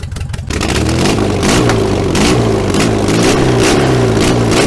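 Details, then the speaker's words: First run of freshly rebuilt 1915cc air-cooled flat-four in a 1303S Beetle after timing adjustment, revved with no exhaust fitted: loud open-port bark rising and falling cleanly with each throttle blip, firing evenly; normal revving. "obviously i'm not going to be running it without an exhaust but holy i'm going to take the radio mic off"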